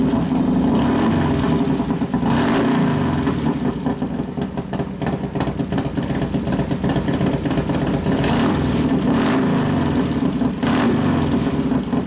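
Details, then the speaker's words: 1993 Harley FXR Evolution 89ci stroker, new build first start-up, air cleaner off: loose, lumpy V-twin idle with sharp throttle blips rising and falling cleanly, warming up; idle mixture being adjusted but not very sensitive; normal idle. "sounds good we got to readjust it once you put the air cleaner on yeah of course it's not real sensitive the idle mixture I keep playing with a little bit but it's not very sensitive to"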